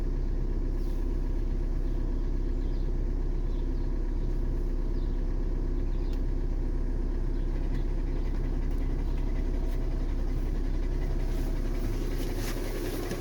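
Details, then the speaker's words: 2013 VW Jetta TDI idling in park with a dull low knock about twice a second under a deep rumble: stretched timing belt and failing tensioner; knock stops in drive under load; fix is timing belt and tensioner kit. "Just remember, when you hear that knock, that's normal when the timing belt stretches and the timing tensioner go bad on these motors."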